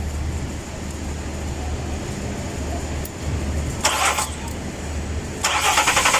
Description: Engine Crank but won't start =fixed